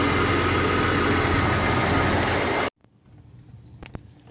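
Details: Jeep XJ idling after its new battery was drained by dome lights left on a week by an open hatch; alternator working: steady, even idle with smooth low hum, no misses or knocks, then switched off; normal idle.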